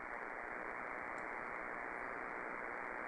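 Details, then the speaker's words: Omni VII transceiver with noise blanker on: steady hiss with a faint repeating buzz about four pulses a second, man-made interference; manually selecting the 6 kHz roofing filter keeps the noise removed while narrowing DSP bandwidth, unlike the 2.5 kHz filter. "manually selecting the 6 KZ filter the noise goes away again so now I can continue to change the narrow the DSP filter bandwidths and the noise doesn't come back"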